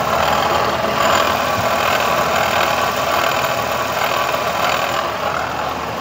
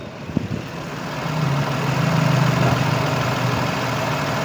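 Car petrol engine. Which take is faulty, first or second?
first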